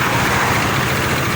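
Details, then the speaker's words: Honda Beat automatic scooter that seized from low engine oil, started on the electric starter after refilling oil without engine teardown: a steady, even putter with no knocks, slightly smoky, still on old oil. Normal idle. "Nah itu dia guys ternyata bisa menyala eh oke Memang agak sedikit berasap ya kita cari masih menggunakan oli lama"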